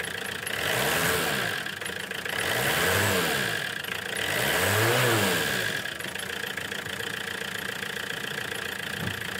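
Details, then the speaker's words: 417k-mile Renault 19 diesel after replacement starter motor fitted: runs steady and even through smooth rev blips, no knocking or misfire; healthy engine. "oh that's a good sound I like it hey on the button now that's a big relief that is one big job done out the way sorted"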